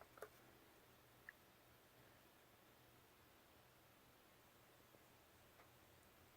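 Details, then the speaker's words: Oil-fired water heater burner found with no hot water and blinking green, then reset: faint steady low hum, owner suspects the transformer, with a couple of small clicks and no firing roar; the burner fails to ignite. "can you hear that humming [Music] I'm pretty sure it's coming from the transformer"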